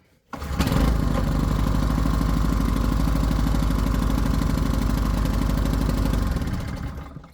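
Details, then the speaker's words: Clarke G900 700 W generator engine, bought used with no electrical output, started on choke after sitting: starts first pull, fast steady chug with slightly uneven beat; owner suspects slight misfire from sitting and possibly old fuel, unconfirmed. "Okay, so it started fairly easily. Um, sounds like it might be misfiring slightly, but that might just be because it's been sat for a while and maybe the fuel's old."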